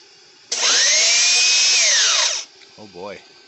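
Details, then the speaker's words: Compressor started from an inverter through a DIY soft start made of two 1500 W heaters, drawing 1,880 W: harsh motor whine rises then sags for two seconds and cuts out. Motor stalls on start, inverter overload. "so with 1880 watts this compressor still will not start oh boy what else do we got to add"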